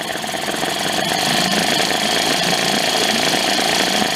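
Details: Late-1990s Mercury 5 hp two-stroke outboard, from a yard sale, running while the idle air-fuel mixture is adjusted. It gives a busy, even buzz with a crisp high edge and a steady, clean idle without stumbling or surging.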